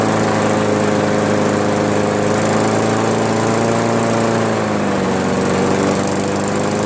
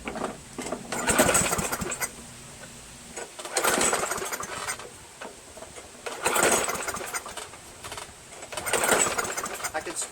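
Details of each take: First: Craftsman push mower, Briggs 158cc, after cleaning carburetor and adjusting the fabricated governor spring tension: steady, even drone around 3000 rpm with a slight dip partway through; governor holding speed properly. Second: Free Craftsman push mower, 158cc Briggs engine: four rope pulls about 2.5 seconds apart, engine spins but never catches. No-start caused by the missing throttle governor spring; carb diaphragm gasket also worn.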